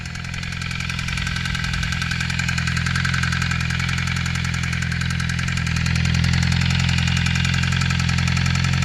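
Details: 2008 Suzuki GSX-R 600 idling at about 220°F: steady, fairly quick tick/click, sounding like light knock, over the exhaust; oil light comes on right after pulling the clutch; sight glass always appears full despite recent oil change.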